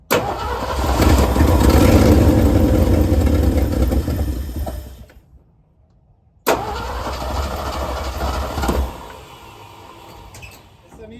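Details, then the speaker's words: 1971 Ford F250 that sat 9+ years, first start after new power steering pump and radiator work: the V8 cranks, fires and runs strongly, then drops to a rough but steady idle with a little throttle; known exhaust leak; running normally. "Sounds like it's working to me. We do have an exhaust leak. We already know where it's at."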